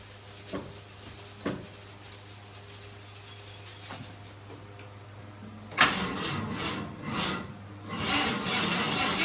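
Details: 1972 Ford F-100 XLT Ranger, sat 15 years, first start on chainsaw gas, coil bypassed with no key, cranked via jump box: quiet hum and clicks, then the engine catches suddenly and keeps running roughly.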